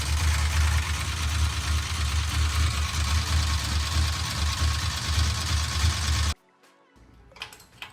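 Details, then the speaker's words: 1968 Dodge Charger with a used big block 440, with pushrods already changed but lifters not: a steady idle with quick, even ticking, as the crew tries to find which lifter makes the noise. Lifter chatter. "We put these things back on right here, and we're gonna see if we can figure out which one's making the ticky-tack noise. Tickety-tack, clickety-clack."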